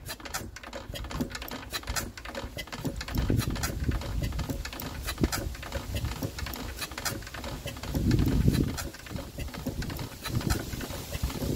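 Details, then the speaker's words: Royal Enfield twin diesel turned slowly by hand after a cracked fuel pipe was re-welded: light uneven pump clicking with no firing and no fuel reaching the injector; suspected air drawn in through the fuel leak, giving too little pressure. "Oh, I can see this pump now. I can hear it clicking, yet there's no diesel getting to it."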